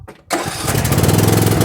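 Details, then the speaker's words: Tractor not started for at least a month, jump-started with a Hulkman 10.0 jump starter: brief crank, then catches at once into quick, even firing; clean, healthy start. "And the thing started right up."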